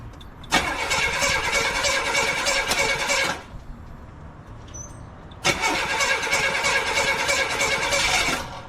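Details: 1982 Buick Regal sitting 25+ years, first start of newly installed engine, EGR car with some vacuum leaks, timing being set: two long steady cranking bursts that never catch; cranks but won't start, cause not confirmed.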